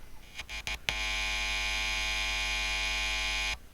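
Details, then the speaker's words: Behringer B300 PA speaker after replacing bad capacitors, mic near speaker: taps then steady buzzy hum only while finger touches input jack, stops on release; normal background buzz gone, faint hiss only. "And uh I'll try doing a comparison test. If I get my microphone up near the thing and I touch the input jack,"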